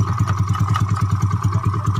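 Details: Yamaha Mio bored up to 150cc for daily use, freshly assembled, standard pilot and main jets: steady, even single-cylinder putter at idle, no knocks or rattles; clean idle.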